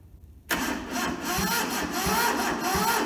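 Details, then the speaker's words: Toyota SDK4 skid steer diesel, bought rusted and seized, first start attempt on jump leads with a temporary diesel tank: starter turns the engine slowly and unevenly, about 1.5 beats per second, never catching; weak cranking from a flattening battery. "I think the battery's starting to get a bit flat, so I'm not just sure how I'm going to go over that yet."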